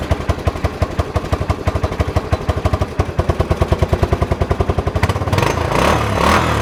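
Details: Kawasaki 300 ATV, abandoned beater, just reassembled after a hole repair: steady even single-cylinder thumping at idle, then a clean rise in revs with no misses or knocks. Normal running.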